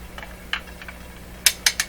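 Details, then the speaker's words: Garrard 40-MKII record changer in a Canadian General Electric C701 console, after top maintenance, before bottom maintenance: sharp irregular clicks and clunks as the kicker and catcher mechanism overshoots during change cycle. Rough record changer cycle noise. "so that is what i was telling you about the kicker and the catcher and all that stuff that's what you're hearing can't say i've ever heard a record player sound quite that bad"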